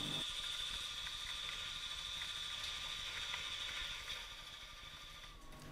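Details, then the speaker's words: Sandvik Coromant Silent Tools Plus damped internal-turning adapter, roughing cut at 0.3 feed: an even cutting hiss with a steady faint high tone and no chatter; temperature fine, no vibration, surface roughness stable, a stable cut. "De temperatuur is helemaal in orde en er zijn ook geen trillingen. Dus op dit moment is het een stabiele snede en is de operator tevreden."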